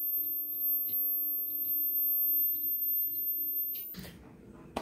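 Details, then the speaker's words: Vizio sound bar that restarts on its own, powered from an external DC supply: thin, steady high whistle with a faint hum that cuts off suddenly, from a faulty 33 µH (330) inductor measuring only about 4 µH; replaced to fix. "however when I put it over this 330 there's gonna be a huge difference and I'm really hoping that this camera can pick up that sound"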